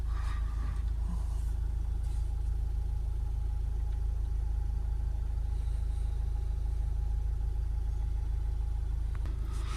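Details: Toyota RAV4 2.2 D4D D-Cat diesel after DPF cleaning and clearing P2002 (particulate trap efficiency) codes: steady, even idle with a low rumble, no warning beeping and no knocks; the engine sounds healthy.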